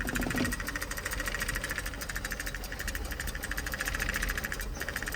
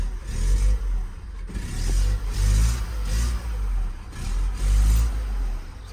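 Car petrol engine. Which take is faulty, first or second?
first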